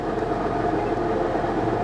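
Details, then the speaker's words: Lincoln MKX, push-button start, salvage auction car: rough droning hum with a wavering mid-pitched whine at idle in park that goes away in gear; transmission sounds unhealthy, cause not pinned down. "No, that doesn't sound good at all, does it? Ooh. Okay. Well, put it in gear. Interesting, it goes away when you put it in gear."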